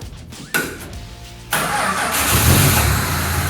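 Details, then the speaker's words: Rebuilt Australian roo-hunting ute made from two dilapidated utes, tested with clutch in while checking the gears: brief crank, the engine catches at once and settles into a steady, even idle with no knocks or misses; idles well. "Good, idles well."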